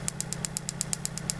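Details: 1995 Mitsubishi Libero 4G15 with new distributor cap, spark tester on the number 1 plug wire at about 30 kV: crisp, evenly spaced snaps about eight a second over a soft idle. The spark is strong between 20 and 30 kV and trips out near 40 kV.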